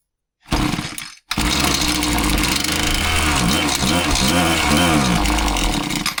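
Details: Husqvarna 525PT5S pole saw two-stroke with a terrible bog after a carb kit, both mixture screws a quarter turn rich, run without the top cover: buzz sags and wavers when throttle opens, failing to rev cleanly; second cause suspected, not yet confirmed.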